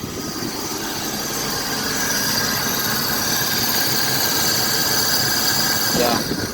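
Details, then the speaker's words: 25-year-old car, AC switched off, engine idling: steady hiss and thin high whine continuing, compressor seems to stay on; owner suspects possibly original compressor failing and needs replacing, PCM fault also flagged. "so that's what's going on with the compressor now it's making a noise like I turned it off and like it stayed on or something's going on"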